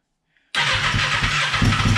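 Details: Fuel-injected 2014 Kawasaki Ninja 636, about 6,000 miles, after a tune-up with new plugs and air filter and smog pump deleted: the starter spins it steadily nearly two seconds without firing during the spark test. Spark is present; injectors or fuel pump suspected.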